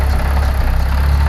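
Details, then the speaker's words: 500bhp Audi A3, first start after Monster Performance gearset install, injectors just reconnected: short burst of low, steady, even petrol idle with no knocks or misses; sounds healthy, oil pressure coming up. "well that sounded all right to me but the injectors in one two three four would it start four and a half cause oil pressure picking over"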